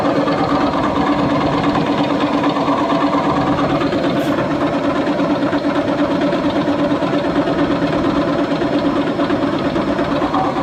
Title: Seasons nyc bad bearings close look at shaft